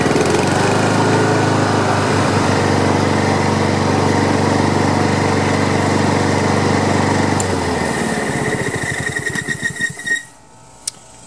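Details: Free Honda HRM215 lawn mower after carburetor cleaning, pull-rope repair and clearing clogged fuel line: steady even buzz for several seconds, then winds down cleanly at shutoff. Some smoke, muffler squeal at shutdown, rear-wheel drive still won't engage.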